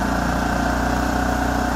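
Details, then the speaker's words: 2006 Kipor KGE3000TI inverter generator after carburetor cleanout for a no-start, quarter tank of fuel, charging about 13 volts: steady, even drone at low idle with smart throttle engaged, no surging or hunting; normal running speed. "here's the low idle with the smart throttle engaged so that's about as low as it can go"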